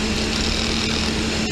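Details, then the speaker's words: Mercedes V12 running with throttle bodies removed from the intake for cable repair, with the installed units disconnected and idle uncontrolled: steady fast idle with an even hum that never settles; high idle from uncontrolled throttle bodies. "going to start it and i'm going to run the car without throttles installed on the intake now obviously my idle is not being controlled but as you can see idle is high"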